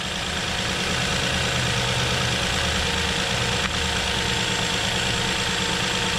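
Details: 2007 Nissan Murano 3.5L V6 after replacing the cylinder 3 ignition coil, which was behind the intake manifold: smooth, even idle with a steady low rumble and no stumbles; the cylinder 3 misfire is cured.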